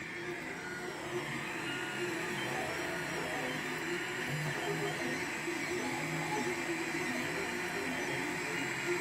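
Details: Monoprice Select Mini 3D printer, bought a day before, on its third print: whining stepper motors sweeping in pitch over a rough, gritty grinding noise during printing.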